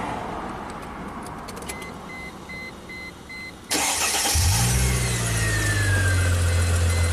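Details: 2005 Chrysler Crossfire after replacing suspected bad crankshaft position sensor that caused stalling; quiet hiss and a few short beeps, then catches at once and settles to a smooth, even idle, a healthy start.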